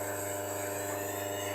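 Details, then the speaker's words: Wega commercial espresso machine, boiler autofill test with the level probe wire pulled to force a refill. Steady low hum at constant pitch, no grinding or surging, as water flows; the fill pump motor runs smoothly. "we go and you see we've now got a flow of water"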